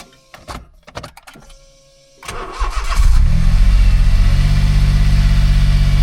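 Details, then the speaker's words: Car restart after a brief run: clicks and a pause, then a short crank before the engine catches and settles to a steady idle; starter hesitant, owner says it's not 100%, possibly the cable. "Yeah, so there's something. The starter's not 100%, but at least she started."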